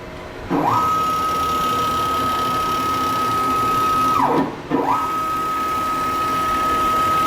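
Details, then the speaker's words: Grizzly G0602 CNC lathe conversion, Mach3 Turn motor tuning of the stepper after the setting was lowered to 75: a steady, even high hum on each traverse, starting and stopping cleanly. It moves smoothly with no stutter. "sounds good let's drop it down to say ten more and just see what it sounds like"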